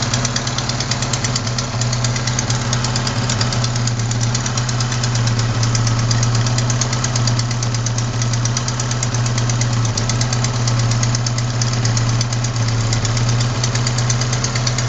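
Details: Sharp, fairly regular ticking at idle, roughly three a second over steady hum; not lifters or rocker adjusters but a leaking exhaust manifold gasket at cylinder 4, which replacing the gasket should fix.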